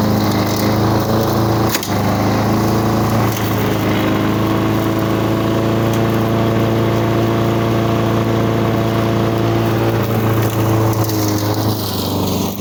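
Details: 1985 Lawn Boy model 7350 two-stroke mower, revived after sitting outside for at least three years, cutting weeds on raised wheels. Steady, even drone holding pitch under load and pulling cleanly. The owner thinks the RPM is running a little low and may adjust it.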